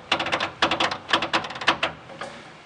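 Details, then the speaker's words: 1967 Ford Mustang under restoration: bursts of dry, rapid creaking as the rear leaf spring is lowered on a jack after the U-bolts are removed; urethane spring bushings creak, and the owner is considering switching to rubber. "can hear that creaking that's bushings put in this principle those urethane pushes in there and I'm actually thinking I might take those out and put in a rubber because it makes a lot of noise"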